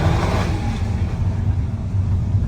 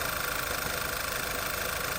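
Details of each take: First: 2011 Volkswagen EOS 2.0 TSI turbo at wide open throttle after fixing misfire (OEM PCV/crankcase breather valve and timing cover gasket vacuum leak): smooth even roar, no stumbling, no misfire codes. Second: 2011 VW EOS 2.0 TSI idling with a slightly uneven stumbling misfire and airy hiss, still present after aftermarket PCV valve; OEM valve fitted, then a vacuum leak at the timing cover gasket found and replaced.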